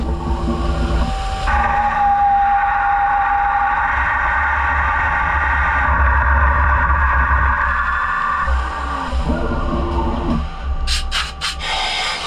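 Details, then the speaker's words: CNC twin-turret lathe (DN Solutions) boring with a heavy metal bar and Kennametal insert, around 117 then 52 Ra finish: steady high squeal over spindle hum as chatter starts at the front; speed later cut to 300 sfm to improve. "they did give me some chatter in the front which came in around like 117 I was able to catch a small portion when it just started"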